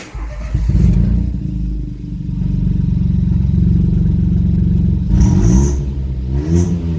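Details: Ford EcoBoost after cylinder head replacement, following an earlier hard start with a crankshaft correlation fault and a wiring-pin mix-up at the pump: the engine catches and settles into a steady low rumble with clean throttle blips. Normal start and rev.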